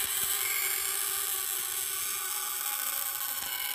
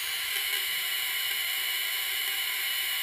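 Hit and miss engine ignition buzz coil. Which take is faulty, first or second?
first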